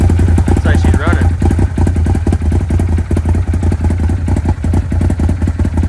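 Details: Arctic Cat Wildcat 1000X, with a stripped starter gear and metal shavings still in the oil, on its first start off a truck, run briefly before an oil drain. A steady low engine beat with a few loose clatters runs evenly.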